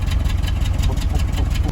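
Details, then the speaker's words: Mitsubishi Triton running on gas (LPG), shaking, hesitating, weak pull off the line in 1st and 2nd: rough uneven idle with irregular puffs and chuffs in the exhaust beat; likely misfire from a failed fuel injector. "อื้อหืออาการนี้น่าจะมีหัวเสียเลยนะครับอครับ"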